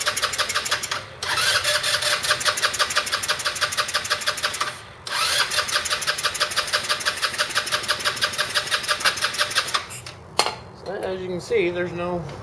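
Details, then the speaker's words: 2008 Roketa Sicily 150 scooter: fast, even starter cranking in long bursts while carb cleaner is sprayed into the intake, never catches; owner suspects a spark plug or stretched-wire spark issue rather than the carburetor. "so that tells me it might not be the carburetor it may be a spark issue whether the spark plug's not sparking"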